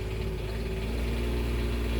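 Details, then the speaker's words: Onan Quiet Diesel 7500 HDKAJ generator in a 2001 Coachmen 380 MBS RV just after oil and filter service and fuel priming: steady low-pitched hum, smooth and even with no stumbles or knocks; normal idle while warming up. "Might run a little rough here for a minute, but seem to have picked right up there."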